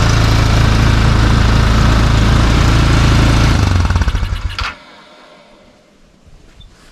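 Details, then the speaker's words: Tao Tao ATV after battery charged with solar charger, old battery lacking cranking amps and due for replacement: small engine runs with an even, steady beat, then shuts off cleanly; runs healthy. "yep but at least she starts and runs then now again"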